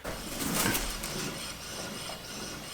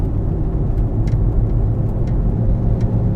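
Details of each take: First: so let's give it a spin test this one's nice and quiet also I like to check it a couple of times Second: Car on a test drive with a worn rear wheel bearing, side not yet determined: constant low grinding, growling drone under the road roar while cruising, steady with speed; wheel bearing growl.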